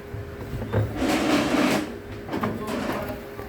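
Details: Samsung latest-model washer, noisy in wash and spin since a tub clean: surging metallic scraping over a steady hum from the motor underneath, a loose motor magnet rubbing.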